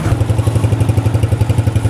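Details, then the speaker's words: Honda CG125 after an oil change and fitting the missing oil filter, idling: even, steady low putter about eight beats a second, no tapping; oil still smoking out of the silencer. "ये देखिए sound जो है bike की बेहतरीन हो गई है"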